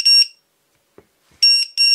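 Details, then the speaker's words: Matek F411-One flight controller plugged in with no transmitter on: shrill, very loud buzzer bursts signalling no radio link, continuing until the receiver binds and impossible to stop otherwise. "noise this incredibly credibly loud noise it drives me mad basically it says you sit from your controller and it binds then then it will shut up"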